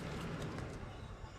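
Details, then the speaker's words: 2003 Ram 1500 after replacing a wheel bearing: hand-spun wheel turns quietly with slight normal play, only a light even brake pad rub on the rotor; no grinding, bearing healthy. "All you hear is them brake pads rubbing that rotor. That's what that sound is. That's normal."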